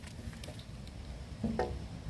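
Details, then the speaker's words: Outdoor chambered sump pump system with a 1/3 hp pump and no check valve, just after the pump shuts off: water in the 100–130 ft discharge line drains downhill back into the chamber, giving soft irregular gurgles and wet patters as it siphons back. "so right now turned off and everything that was in that line you can hear it gurgling it's just siphoning back so you lose you know chamber"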